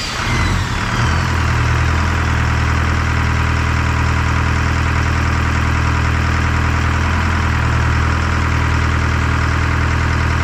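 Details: Detroit 4-53T diesel, 7A77 injectors back in after 9G90 failure, loose fuel suction hose clamp replaced; catches within a second and settles into a steady, even low-pitched idle, no misses or hunting; normal idle.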